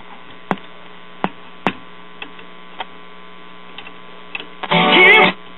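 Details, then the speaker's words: Circa 1941 Aircastle five-tube series-string AM radio chassis, from a radio-phonograph, with a faulty output-tube capacitor connected: steady low speaker buzz with clicks, then louder crackly bursts, hum with no station. "however with it connected in its current shape it will keep the radio from playing hearing a buzz and the speaker"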